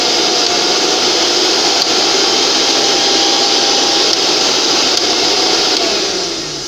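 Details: Mixer grinder that didn't run though indicator lit, after overload switch repair: smooth even high-speed motor whir holding steady, then winding down; normal motor running.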